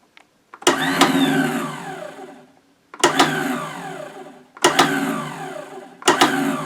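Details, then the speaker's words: 1983 Yamaha Excel III 340 snowmobile, not run for about fifteen years, on a jump pack with electric start: four bursts of starter whirring, each spinning up and winding down with no firing; cranks but won't start. "well spinning was all we got so I've to come back and revisit that"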